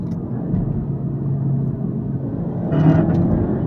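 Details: 2010 Audi A4 B8 Avant 2.0 TSI EA888 gen 2, DQ500 DSG quattro, stage 1 tune, downpipe, TCU tune: heavy rough rumble with a harsher burst under full throttle; grinding at 3000–5000 rpm in first, second, sometimes third gear, lever and pedal shaking; cause unknown.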